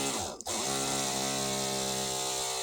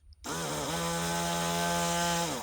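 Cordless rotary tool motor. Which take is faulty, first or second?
first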